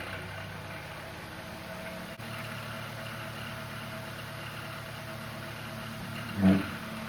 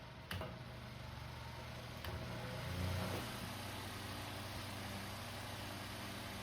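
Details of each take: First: Household fan slow to start, taking a few seconds to spin up and very noisy before cleaning and oiling: steady low hum with rough, uneven drone, no clean spin-up; dry, dusty motor bearings. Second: Household fan after disassembly, dusting and oiling the shaft (previously slow to start and noisy), run indoors: quiet, even low hum with a soft steady whir, no scraping or ticking; now starts faster and runs smoother and quieter.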